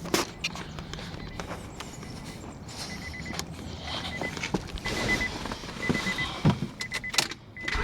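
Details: 2000 Acura TL after knock sensor replacement that required removing the intake plenum: thin high-pitched whistle from the AC compressor side over a surging idle; owner suspects a broken vacuum hose elbow, not confirmed.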